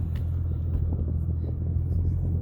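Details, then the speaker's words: C5 Corvette LS V8 with a generic axle-back exhaust and no long tubes, gentle revs: deep, even rumble with smooth low burble, less truck-like than at idle, no knocks or misses; healthy. "guess it sounds a little less like a truck when you're revving it up, but at idle, for some reason, I think Vettes without long tubes that just have kind of just a generic axle back kind of sound like trucks, but it is what it is."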